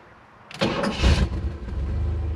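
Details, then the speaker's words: Car starting on a battery restored by desulfation with a Noco Genius 5: a short crank, then it catches quickly and settles into a steady low idle without stumbling; starts cleanly. "no problem at all so everything seems good"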